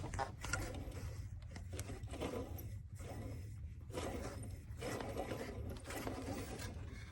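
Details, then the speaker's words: 1997 Ford F-350 7.3L Powerstroke diesel, 164,000 miles, with an intermittent rattle/knock once warm; tensioner pulley spun by hand with the belt relieved gives a gritty, uneven rattle from a fried bearing. "oh yeah the bearing's fried in there oh yeah that's it"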